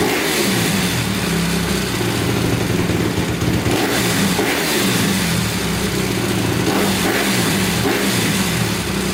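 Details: 2010 Honda CRF250R after valve shimming and no-start: loud, steady single-cylinder idle with even rapid beat, no knocks or misses; normal idle, though still somewhat hard to start.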